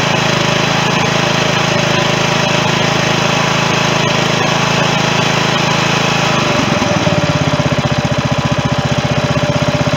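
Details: 16.5 hp Briggs & Stratton engine transplanted into a John Deere mower in place of its 15 hp Kohler, with temporary wiring; it runs strong and steady, then settles to a slower, even popping beat with no misses or knocks. It runs fine.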